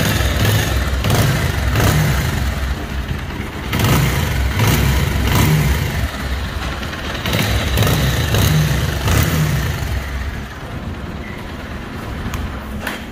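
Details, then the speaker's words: Bajaj Pulsar 220cc that looks nearly new and was repaired at another shop: a heavy hammer-like internal knock, roughly four beats a second, swells with throttle while running. Cause not yet identified. "तो दोस्तों जैसे कि आपने इस गाड़ी की आवाज़ सुनी है, इस गाड़ी के अंदर हथौड़े जैसी आवाज़ आ रही है, गड़गड़ गड़गड़ गड़गड़ गड़गड़ गड़गड़।"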